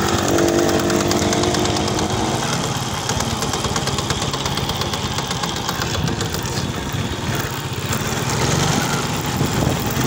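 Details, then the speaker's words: Honda XRM110 motorcycle in second gear, with the phone held close to the engine; owner reports a helicopter-like noise in second gear. The engine revs hard with a coarse gear whir. Mechanic is sure a second-gear tooth is chipped; overhaul planned. "ayan maingay sa kanyang second gear So yun ah sigurado nito Hindi ako nagkakamali yung may sira siguradong napingas o nabungi siya"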